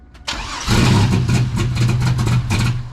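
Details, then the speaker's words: Turbo 3800 V6 Camaro (Project F), first start after sitting 2 years, no proper tune and no exhaust fitted: catches after brief crank, then lumpy, uneven low rumble with popping, cams audible; rough untuned first start, likely running rich. "we just wanted to get it running and you saw it it fired it popped at least two times dude you could hear the cams too even just with like the couple seconds it was running it sounds kind of Rowdy yeah well there's no exhaust on it right now"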